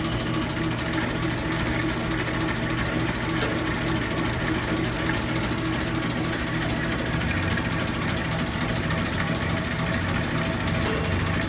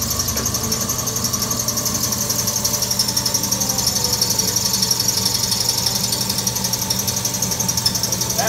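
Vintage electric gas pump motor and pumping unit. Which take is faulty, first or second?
second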